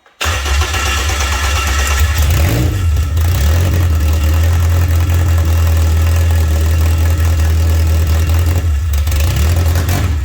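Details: K24-swapped Toyota MR2 first-start attempt with the fuel line blown out; its fuel pump had been wired backwards: steady low churning with a brief catch near three seconds, never settling to idle. Possible vacuum leak suspected. Crank, no start.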